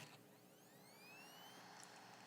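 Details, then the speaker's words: A hard drive, re-plugged after failing to mount, gives a faint whine that rises and falls as it spins up and down. It sounds rough and uneven, suggesting a failing drive; it mounts after a later spin-up. "Yeah, even when it's spinning down, did you hear that? Yeah, that sounded kind of rough. Is that normal?"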